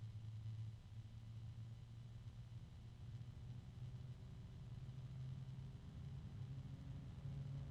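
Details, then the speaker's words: bgears b-blaster 140 case fan, third unit (second replacement), tested for noise: a steady low hum swelling over a soft rumble, with a very faint rubbing sound and harmonic resonance of unclear source. "now if we listen to this all I'm hearing is a very faint rubbing sound harmonic resonance"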